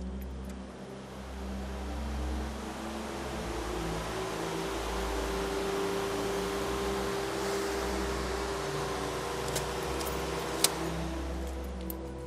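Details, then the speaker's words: VW Up! mid turbo GTI engine swap: after the ECU casing touched the battery with a zap, turning the key gives a constant jet-like whooshing with a faint steady tone and low rumble; they conclude the ECU is fried. "like it sounds like a jet taking off oh man it soon becomes clear that after all this work we've fried the EC"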